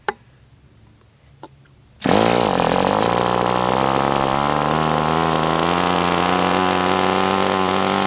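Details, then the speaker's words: MDS 68 FS Pro model engine on a break-in run, warmed to operating temperature but still tight with a high pinch: it catches and holds a smooth, steady, high-pitched run with no misses. Normal running, better than with the idle bar plug. "So, I mean, right now I'm not unhappy with this engine. It is what it is, but it seems like it's doing well now."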